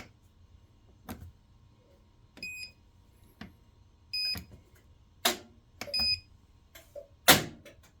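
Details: Kenmore washer won't start a cycle: scattered clicks and short beeps with quiet gaps, no motor or drum; recently a power restart worked, now on any cycle it shuts itself off and remains locked.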